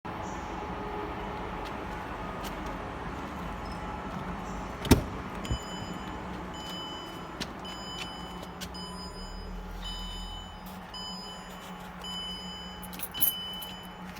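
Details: Range Rover L322: low drivetrain rumble with thin, high-pitched intermittent squeaks from the automatic gearbox area; owner says oil pump is fine and it drives forward and reverse. Cause unknown.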